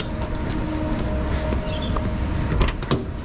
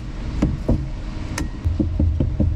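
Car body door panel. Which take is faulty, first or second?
first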